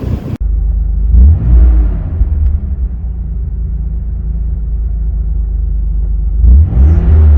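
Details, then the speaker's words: Nissan 300ZX Z32 twin-turbo manual, unused 17+ years, after new correct-spec spark plugs cured cylinder four misfire; revved after warm-up: revs cleanly, drops back to smooth idle, no stumbling; healthy, though idle sits slightly high. "as you heard the engine is running beautifully now but i'll say beautifully it needs a little bit of tweaking"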